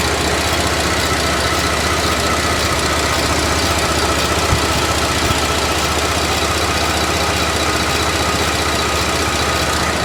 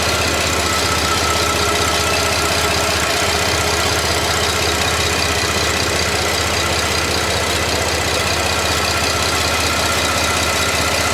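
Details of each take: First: GDI engine idling, mic held close, timing chain link wear from sooty oil suspected: busy idle with light uneven metallic ticking and rattle; source not pinned down. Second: 2010 Buick LaCrosse V6 (LLT), warm idle after an oil-system chemical carbon-cleaning treatment, microphone in front of the engine: steady, even idle with a light regular valvetrain tick, no knocking or misses; no audible difference noticed, sounds healthy.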